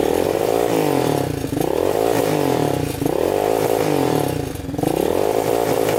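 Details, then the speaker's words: Yamaha Warrior 350 quad, year unknown, jump-started with dead battery; single-cylinder rasp rises then sags and stumbles, bogging and not reaching full throttle; cause unknown. "Kind of bogs. Doesn't sound the greatest. You can hear it bogging at full throttle, like it doesn't want to go full throttle."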